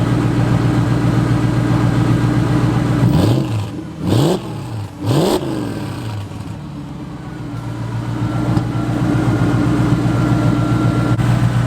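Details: Ford single-turbo 5.4 engine, head work by Modular Head Shop, at start-up in driveway: deep even idle with three quick throttle blips returning to smooth rumble; tame, healthy idle.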